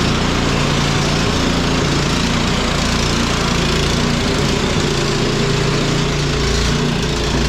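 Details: Cub Cadet 1X snow blower that would not start after storage with undrained gas, now running on fresh gasoline; small single-cylinder engine runs at a steady pace without stumbling or surging and holds speed; normal running.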